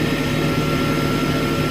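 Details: Smithy AutoMate CNC LT1440 lathe after spindle replacement, run at 1800 then about 2300 rpm: a smooth, steady tone with no knocking or grinding; the new spindle runs normally.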